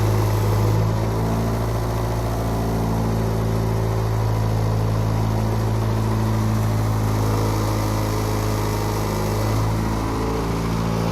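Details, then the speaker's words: Honda petrol engine, cold start, at the tailpipe: rough, uneven idle down a cylinder with a deep hum from stiffer motor mounts and a faint irregular knock; burns oil; mechanic suspects possibly a burnt valve. "Listen to the tailpipe. I was told by my mechanic that it has possibly a burnt valve and a bent"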